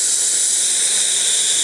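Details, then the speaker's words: Vacuum leak on a truck with unstable running, power loss and high fuel use: steady high-pitched hiss over a barely audible engine as air is sucked past flattened, worn intake gaskets that no longer seat; gaskets must be replaced. "y pues por aquí entra aire que no debería de entrar"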